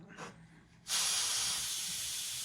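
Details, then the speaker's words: Coleman 500 white-gas stove after the fuel knob is closed and the flame is out: quiet, then a sharp hiss that slowly fades as the fuel-tank cap is opened to release normal tank pressure. "Let the pressure out of your tank, retighten your cap, and that's it."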